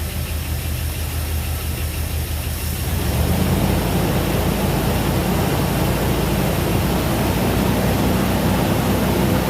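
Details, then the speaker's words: Jeep engine just reinstalled with new connecting rod bearings, freshly fired up cold, good oil pressure: fast cold idle, still a little rattly, light ticking from both sides; slight tappet noise, needs to warm up, otherwise sounds healthy. "We got a little bit of tappet noise. Yeah, both sides, a little bit of tapper noise. That sounds healthy."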